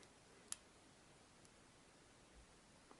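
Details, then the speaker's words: Hand-wound mains transformer after soaking every gap with epoxy and solvent and letting it dry: near silence, hum gone, only faint room ticks. "ну вот ребята смотрим я залил пролил его высох видите иск ведут он больше не шумит"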